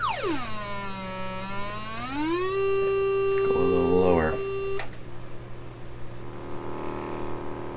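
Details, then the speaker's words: Canadian Marconi Model 93 radio speaker tested with swept tones; tone glides down then holds, with a raspy, impure edge; speaker distorting, distorted tone reproduction. "really hard to tell with these pure kind of tongs not sounding very pure to me"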